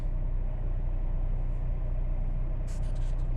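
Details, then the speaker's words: 2020 Ford Explorer ST just after installing an AFE intake, started to check for engine codes, no warning lights; smooth steady low rumble with even beat, no knocks or whine; normal idle. "So let's start it up and see if we have any engine codes. That's a good sign. No warning lights."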